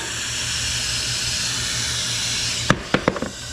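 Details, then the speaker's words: Permobil C300 wheelchair tire refitted with a Michelin S83 moped tire; a steady sharp hiss of air escaping where the tube patch came loose, then a few handling clunks. "I would really like to get this chair back together today so I was just working on this other tire and our patch came loose awesome"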